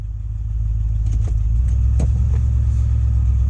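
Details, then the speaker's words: 2005 Lincoln Aviator with swapped 03/04 Cobra engine (Aviator heads, 99-01 Cobra intakes, EGR deleted, check engine light on), 56°F: idle climbs, holds high with a deep even drone, doesn't settle; owner suspects a vacuum leak. "she'll idle up and sit there. Maybe even climb a little. Some sort of a vacuum leak."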